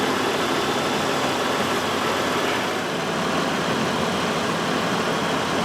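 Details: 2007 Buick Lucerne 3.8 with intermittent stalling and no-start traced to a bad ground and crankshaft position sensor; sensor plugged back in, left running to warm up: even steady idle with no stumbles, surges or cut-outs, stall not appearing right now.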